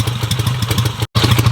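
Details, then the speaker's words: 1953 BSA Golden Flash twin, single carb, kick-started cold with choke on after tickling the carb three times: even, steady thumping idle with no knocks or misses while warming up; runs cleanly. "choke you want to turn on and then we just give it a kick okay got it for a second there we go fired up"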